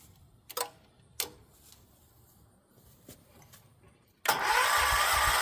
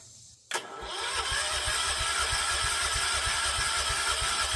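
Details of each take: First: Decades-dormant John Deere 314 garden tractor, rebuilt Kohler K321 single-cylinder, started with carb cleaner; catches into steady even thumping idle, no knocks, warming and burning off old oil with some smoke: normal idle. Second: John Deere 314 garden tractor (possibly '80s), Kohler K321 single-cylinder, 42 psi compression, spark present: slow even starter churn about three beats a second with high whir, never firing; fuel not reaching cylinder, crank no start.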